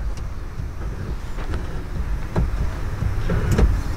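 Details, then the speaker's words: Blaupunkt in-dash 6-disc CD changer in a 2004-06 Pontiac GTO/Holden Monaro, refitted after a DIY fix for the CD Mech Error. Scattered clicks and brief motor whirs as it cycles platters and aligns gears, a normal initialisation. "making some CD noises sounds like it's checking the platters moving them in one at a time or trying to get its little Synchro Servo gear thingies all aligned up where they need to"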